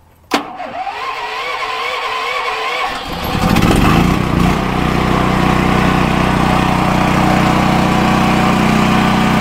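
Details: DuroMax XP10000E 10000-watt portable generator with tri-fuel kit fitted, short crank, catches at once and settles into a steady even run with no misses or knocks, then idle control drops speed with no load.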